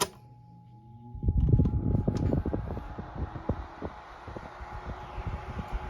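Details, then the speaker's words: 1975 Toastmaster DeLuxe 12-inch oscillating three-speed table fan, model 7310 (McGraw-Edison), capacitor replaced, on high speed: motor spins up to low steady whir with light ticking, about 1100–1200 ft/min airflow; relatively quiet, normal. "moves a lot of air It's relatively quiet"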